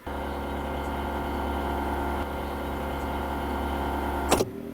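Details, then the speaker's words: UAZ Patriot auxiliary heater circulation pump, stock motor bolted rigidly to the body without a rubber damper: steady low electric hum with a buzzy drone carried through the body, louder than when on the damper. "Сейчас работает мотор, который на штатный, без демпфера."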